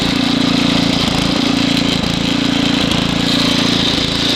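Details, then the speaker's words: Estate-sale Ariens ST724 snow blower with rebuilt carburetor, started first pull cold, running in snow: small single-cylinder engine runs steadily but dips and surges every second or so; lean hunting, main jet needs opening slightly. "Sounds like I need to just open the main up just a little."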